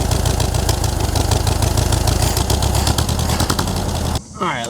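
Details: 1960s Volkswagen dune buggy air-cooled flat-four, running after more than ten years sitting, after ignition work: unevenly chugging idle, low beat wavering; idle is rough and still needs adjusting.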